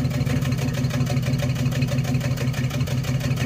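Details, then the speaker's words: 1994 Chevrolet S10 Blazer 4x4, 4.3 CPI V6, 190,000 miles, after spider injector replacement: warm idle lumpy, uneven low thump about three beats a second with misses. Fine when cold, misfires once hot. "See if it's still misfiring, because it wasn't misfiring when I first fired it up cold. After it got hot, that's when everything started running funny."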